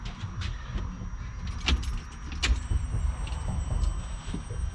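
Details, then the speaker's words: BMW E36 LS swap, new Walbro 450 in-tank fuel pump jumped directly for testing, cover off: after some clatter a thin steady high-pitched whine starts and holds evenly; fuel pump priming normally. "oh yeah nice so the fuel pump's tested so we're gonna go ahead and put this cover back on"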